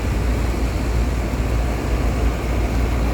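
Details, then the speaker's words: Air conditioner condenser on a no-cooling call, bumped on after the contactor was replaced, with supply at 240 V. A steady low hum and airy fan rush hold even throughout, with no rattles or stutter. Normal running. "we're going to bump this thing just make sure it runs it sounds good that didn't sound real good it sounds better"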